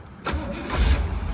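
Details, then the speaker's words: 1965 Chevrolet Corvette V8, pre-purchase inspection, second start of the day: one short crank, catches at once and settles to deep steady idle without throttle; healthy quick start. "Okay, as you can see, it's just a single click. It's idling on its own without me stepping on the accelerator, so I'm going to step on it just slightly just to see if it smoothens out just a little bit."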